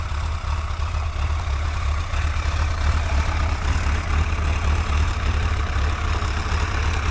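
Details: Suzuki GSX-R1100 engine at steady, even low idle with no ticking over the top after the ticking cause, a leaking exhaust seal, was fixed; sounds healthy and smooth.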